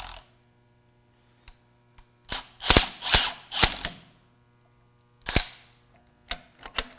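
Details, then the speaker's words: Lathe drive motor (440 V, possibly rewound, 1150 or 1750 RPM) removed from the machine: turning the shaft by hand gives irregular gritty scrapes and clacks from a worn, grinding bearing. "now that the motor's out hopefully you can hear this bearing grinding noise a little better"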